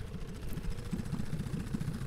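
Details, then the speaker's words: 1966 Evinrude 9.5 outboard on the water after a carburetor cleaning and rebuild: quick, even popping beat with a low rumble, no misses or surging; running smoothly. "see if our carburetor rebuild worked and if the motor runs listen to that running"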